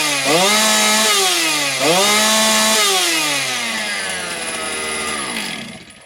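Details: Motor Sich 270 chainsaw, after replacing the ignition coil: fires up and revs briefly, then settles smoothly to a steady idle without any throttle; starts and runs healthy.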